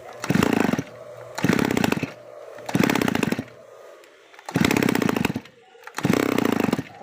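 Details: Grass cutter that had failed to start, running after cleaning a long-clogged muffler/exhaust; five crisp throttle blips rising to a high buzz and dropping back to a steady idle, running normally.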